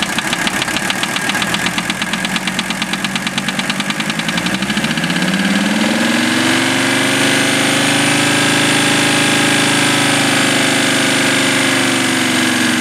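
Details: Mercedes OM617 diesel swapped into a Toyota, warmed 2-3 minutes; idling knock about three per second that blends in as revs rise, unchanged by valve adjustment or cracking injectors; owner suspects piston/connecting rod area, not confirmed.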